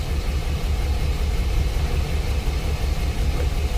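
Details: 2006 Chevy Express, P0300 random misfire code: low, lumpy V6 idle with irregular stumble; scanner shows cylinders one and two misfiring equally; arcing distributor cap.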